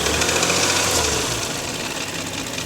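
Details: Porsche Macan S, the noise first blamed on a loose stretched timing chain: hard metallic rattle-knock under a steady engine note at idle; piston slap.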